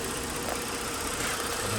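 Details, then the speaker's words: 2009 Lincoln MKS 3.7L after replacing failed cylinder 5 ignition coil (P0305), coil waveforms checked on oscilloscope: steady even idle with no stumble or skipped beats; misfire gone, normal idle. "entonces y confirmamos el carro ya no está ya no está fallando como estaba antes"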